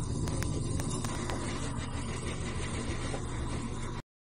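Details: Top-load washer spin cycle after a loose fabric-softener dispenser part that had fallen into the basket was removed. Steady low rumble, spinning smoothly, no knocking or rattling left.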